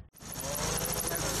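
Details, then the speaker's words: Air-cooled VW with its choke wire disconnected, so the choke sat in any position: loud, ragged clatter with an uneven beat and no settled rhythm; rough idle that still stalled or ran badly with the choke off. "can hear just how terribly this thing is idling somebody noticed he choked wire was off of it so the choke fell into any position that it wanted to"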